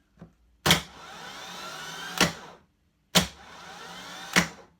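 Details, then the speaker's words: Moto Guzzi Griso starter motor bench-tested by shorting the solenoid live to the control wire, after intermittent starting despite a new starter and battery. Sharp solenoid clack, even high whir, then a clunk; the Bendix throws forward normally. "and as you can see the Bendix shoots forward so the solenoid is throwing the Bendix a little gear down the shaft"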